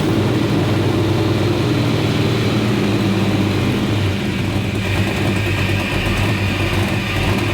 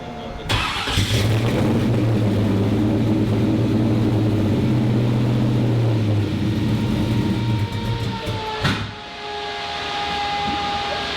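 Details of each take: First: 1957 Chevrolet Bel Air engine at start after cooling tweaks that raise idle speed, settling and idling on its own around 800 rpm at about 5% throttle; smooth, steady idle with no hunting or surging: normal idle. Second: 1957 Chevrolet Bel Air, engine being tuned for LS Fest: it starts into an uneven, lumpy idle with wavering pitch that dips and recovers; the idle was opened up two turns, raising it from about 700 to 800 rpm.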